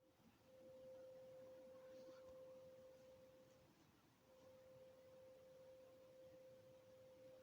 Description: I think the noise is coming over from Morriston it sounds industrial.